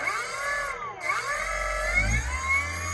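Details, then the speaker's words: E-bike hub motor after swapping hall sensor and phase wires to match the controller, drawing 1.6 A: clean whine that starts smoothly without hesitation or cogging and runs quietly. Correct wiring combination found, normal motor run. "If you notice the startup of the motor, nice and smooth, no hesitation. And then it's not loud at all, it just continues on nice and smooth."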